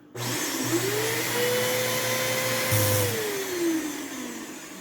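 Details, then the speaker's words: 12-amp vacuum with headlight, only combo tool: motor spins up to a strained rising whine that holds high then sags; sounds clogged, possibly something jammed in the brush, not confirmed. "it sounds like it's clogged"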